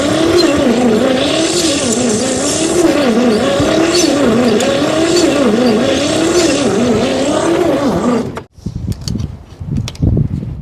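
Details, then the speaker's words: 1959 Chevrolet pickup, not run since the 1970s, on a weakening battery: the starter grinds the engine over with a slow wavering drone, about three dips a second, and it never catches. Owner suspects stuck or bad rings, not confirmed. "so um I think the chances of it running are pretty low without busting the motor apart pushing the Pistons out but we'll give it another shot"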